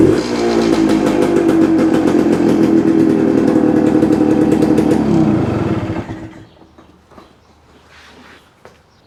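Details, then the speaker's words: 1972 Suzuki TS250, just acquired, started on choke: strained droning note for a few seconds, then falls away instead of picking up; hesitates coming off idle to eighth throttle, owner suspects a plugged pilot jet. "I think you could you could kind of hear it in the way the engine it just didn't want to take the fuel so my first thought is we've got pilot jet that's plugged up it's just not one to transition from that about idle to eighth"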